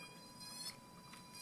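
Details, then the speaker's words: Miswired LDR-based astable 555 timer with passive buzzer and flashing LEDs: thin high insect-like buzz, steady tone near 1 kHz, heard when the 10 µF capacitor lead accidentally touched the LED; power supply current was limited. "oh I accidentally stuck it that lead to the LED that was really interesting that was a really interesting noise"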